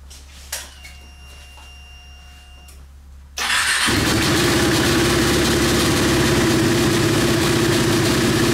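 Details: KTM Duke 125, started during ECU diagnostic test: starter catches, quick steady idle with even beats, no misfires; no fault codes found; normal idle.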